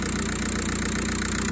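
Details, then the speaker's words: 2006 VW Beetle 1.9 L TDI diesel idling, hood open. Steady, even idle with typical rapid diesel clatter, regular firing, no stray knocks. Normal diesel idle. "here it is guys uh I'm sure you guys noticed this uh little diesel engine they're a little loud noisy but they're really reliable if you can maintain it"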